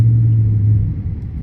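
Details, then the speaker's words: Dodge Charger/Challenger in M mode with active exhaust valves wired open to delete a rattle/squeak: deep, steady low rumble with no rattles, squeaks or ticks; exhaust sounds healthy and even. "W y'all can't tell me it don't sound good [Music] hey y'all can't tell me I don't sound good y'all y'all can't tell me that don't sound good y'all"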